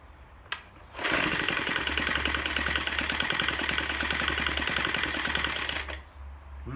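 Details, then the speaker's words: Troy-Bilt TB4HB EC leaf blower, unstarted 4–5 years, new fuel lines, full choke, primed: buzzy engine with uneven stumbling beat that never settles. Air breather loaded with oil via crankcase overflow tube; compression blowing past the piston rings pressurizes the crankcase. "After we got this started, it was running really rough. I took the air breather cap off the back and it is loaded with oil."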